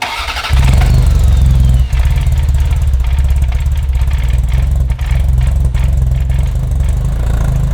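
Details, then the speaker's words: Ferrari 348, first start after engine-out timing belt major service: fires and catches with uneven lumpy running that stumbles and dips, struggling to stay running; right side running rich with smoke, harness swap suspected. "I mean, it's starting, but not really starting."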